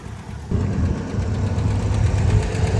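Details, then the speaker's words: Barn-find Chevy on Hot Rod Power Tour day three: rough low idle with a faint quick tick that never happened before; cause unclear. Running 15W-40 Rotella; engine blowing out and burning oil; radiator lower tank damaged. "So, that tick is concerning. It never it never had a tick like that before."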